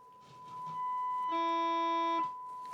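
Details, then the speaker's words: 1965 Grundig 2447 tube radio audio stage, test tone into the TA/pickup input, dirty volume pot: the tone turns harsh and buzzy with added overtones above a certain amplitude, output clipping and oscillation still present. "it is oscillating so we've still got a bit of a problem here but let me put the tone off so we don't have to listen to it"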